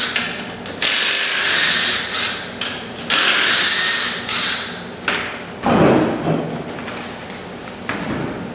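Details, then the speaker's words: Cordless impact wrench (not the 1/2-inch drive) bought used, removing lug nuts from a Camaro wheel on a lift: repeated one-to-two-second bursts of rapid hammering rattle; strong, normal operation. "Just like that, makes quick work."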